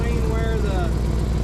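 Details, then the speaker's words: Exhaust leak on a 2000 Chevrolet K2500 (Silverado 3/4-ton) service truck, idling on jack stands: steady V8 rumble with raspy puffing from the big gasket between the first and second catalytic converters, spitting condensation; manifold leaks already fixed. "Catal first catalytic convert is and the second one uh there must be a big gasket right here and it's just leaking like crazy out there you can see it spitting condensation"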